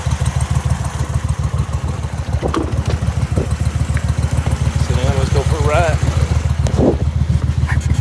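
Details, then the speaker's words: Briggs & Stratton Vanguard V-twin dual-carb mud boat motor (Mud Buddy), freshly rebuilt after flat cam, half turn more fuel on cylinder two, AFR high twelves: lumpy even fast idle, no misses; running much better, still rich on the needle. "he is running much better we're still pretty damn fat when it's on the needle"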